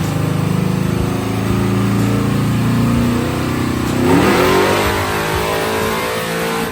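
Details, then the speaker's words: Malibu on a chassis dyno, wide-open-throttle pull on the first nitrous stage with a 150 hp jet, after a jet change richened air-fuel from 13.5–13.9 to about 12.6 (about 476 rwhp on motor); clean strong climbing roar, no misfire or stumble, gained over 200 rwhp. "So, now it's finally time to see if this nitrous kit's going to work when I put this thing at wide openen throttle."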